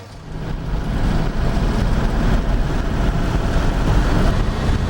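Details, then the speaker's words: 1949 Frazer on a road test after worn tail shaft bearings were fixed and the tail shaft dressed: steady engine and road drone with no thump or shudder, overdrive in and out; the driveline vibration is cured. "there's just nothing there's no vibration at all overdrive in out it's it's absolutely cured"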